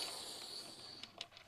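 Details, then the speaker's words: Fuel transfer container left unvented (not purged or opened) while dispensing: faint steady high hiss of air being drawn in, then a few soft clicks, as the container sides collapse under vacuum and flow drops. "I forgot to Purge or open the tank here so as you can hear the sides are collapsing a little bit and you can hear that hissing"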